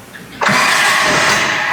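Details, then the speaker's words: 1994 Toyota Kijang engine, removed, stripped, powder coated and resealed during restoration, starting: light, easy crank, then catches at once and settles into a smooth, even idle with no vibration; normal start. "Tuh di starternya juga sangat enteng banget. Coba kita dengerin sini. Lihat, mesinnya bener-bener halus banget dan nggak ada getar sama sekali."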